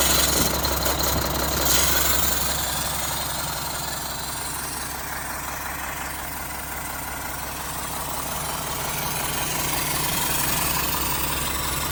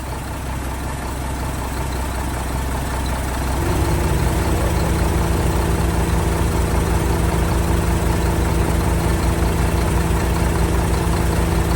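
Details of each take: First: 1975 Mack FR700 8x4 diesel at first start in many years, after bleeding the last air from it. Steady idle with a regular chuff of about 220 a minute from the air compressor venting through its open discharge port. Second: 1975 Mack FR700 8x4 twin-steer truck, diesel, first start in many years after bleeding fuel to injectors; cranks three seconds, catches and settles into steady even low idle with no knocks: normal diesel idle.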